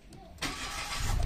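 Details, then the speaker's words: Car that stalled and would not restart, after replacing a fake fuel pump, restarted from off; catches on one click then settles into a low steady hum, pump hum loud and clear, indicating a strong fuel pump; healthy start. "Palatandaan na malakas yung bomba, yung ugong niya. Mga ganun. Rinig na rinig mo yan."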